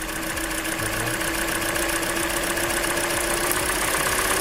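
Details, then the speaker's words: Hyundai Elantra 1.8 engine at idle, all injectors connected: fast light ticking about three to four per second, easing slightly as revs drop; source not yet found, tested by disconnecting injectors per cylinder. "Okay, still ticking noise."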